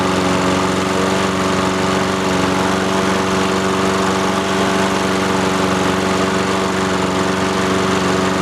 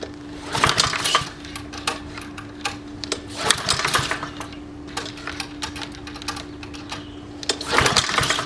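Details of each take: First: Free roadside Honda-engined lawnmower starting after its fuel valve, previously off, was opened and choke used: settles into a steady, even putter with no misses or knocks; it works and sounds healthy. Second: Free roadside lawnmower with a Honda engine, pulled cold just after the fuel valve was turned on. Repeated pull-cord rattles and brief sputters never build into a run: cranks but no start.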